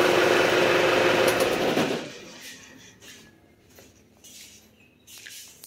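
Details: Isuzu Panther diesel after fuel filter replacement, refilled by cranking the injection pump since the primer pump is broken: even, steady diesel clatter for about two seconds, then switched off; runs smooth and normal.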